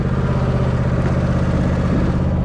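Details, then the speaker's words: Zero-turn mower, revived non-runner, mowing: steady, even low engine drone with a firm regular beat, no knocks or misses; mows all right and engine runs pretty good. "Not today though, but seem to mow all right. Sounds like she's running pretty good."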